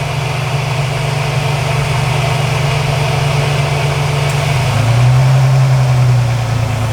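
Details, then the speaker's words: Engine at idle while a candidate vacuum line is pulled during a GlowShift vacuum gauge install: the steady idle hum shifts in pitch and firmness as the line comes off. The RPM change shows it is a usable intake vacuum source. "And when you pull it off, if the engine changes in sound, if the RPMs go up or down, then you know you have the right vacuum line if it makes a change in the way the engine's running."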